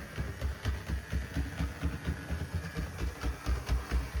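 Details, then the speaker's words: HO scale GP60M model locomotive running in reverse: steady low motor drone with a regular click about twice a second, more pronounced in reverse; owner suspects a cracked gear; likely needs new wheels and motor. "I also do think I potentially heard a click. Like there could be a cracked gear. I'll put the thing in reverse and we'll see if we have a reversing headlight. Yeah, that click is a lot more pronounced in reverse."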